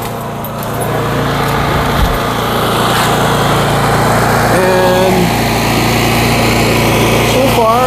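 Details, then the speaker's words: Generator small engine after oil leak and no-start repair, run outside about 25 minutes to check for leaks; steady even drone, no miss, knock or hunting. Normal running. "okay let's see the progress here it's been running for about 25 minutes"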